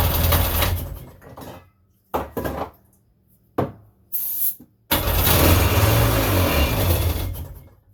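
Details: 1999 Sea-Doo GTI two-stroke with rebuilt single carb and new fuel lines, started on starting fluid: coughs in short bursts, dies, briefly runs. Fuel starvation, no gas reaching the carb; owner fears supply and return lines are swapped.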